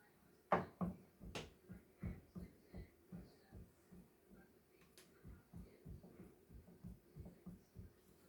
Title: Kickr bike knocking sound